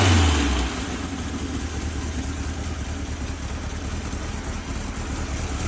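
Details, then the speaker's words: 1967 VW Bug, Holley Bug Spray motor, first start after the build, plastic fuel filter: deep, throaty flat-four note settling from a rev into a steady idle, no knocks or misfires; runs normally. "all right so I got the bud spray motor running sounds good"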